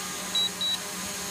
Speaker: it's gotten down to low battery status now